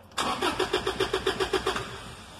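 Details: 2012 Toyota Hilux crank no start: the starter cranks in quick, even pulses, about six a second, for over a second, then winds down without the engine firing.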